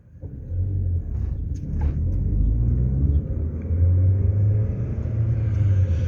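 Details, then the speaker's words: GM Ecotec engine (Sonic/Trax/Cruze) with codes P0011/P0014: low, uneven rumble, rough and short of breath accelerating at 80%; exhaust camshaft stuck at 84% while intake cam works; faulty ECU concluded after ECU replacement. "Tôi đang dừng lại, và nhìn này, trục cam bị kẹt ở mức 84% và nó không thay đổi nữa , và khi tăng tốc, động cơ nghe như đang bị hụt hơi."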